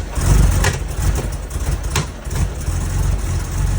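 Uneven, stumbling low rumble with a couple of sharp pops cutting through; rough running and backfire from vacuum leaks.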